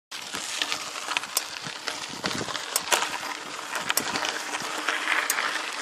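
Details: Mountain bike with Truvativ Firex crank and XT gears: sharp, light metallic ticks with each pedal stroke over rolling hiss, felt as a nudge under the right foot; owner suspects the crank bearing or the pedal bearing.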